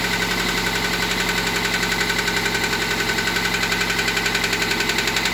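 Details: Toyota MR2 Mk3 idling petrol engine with a steady, regular knock of about four beats a second over the running note; engine knock at idle.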